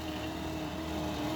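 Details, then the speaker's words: 1957 Ford Skyliner retractable hardtop deck lid, modified so screw-lock motor grounds are disabled while lid travels: only a soft steady motor hum, no grinding or ratcheting, near silence with slight indoor echo; quiet normal operation, less current draw. "you see it's almost total SI total silence total silence and this is inside a building has a little bit of an echo"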